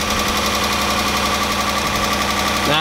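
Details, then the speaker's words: The 300 with coil packs swapped: rough, uneven idle stumbling about three times a second, one cylinder dropping out; misfire traced to a broken injector wire. "something's going on here this is this is ridiculous this is crazy"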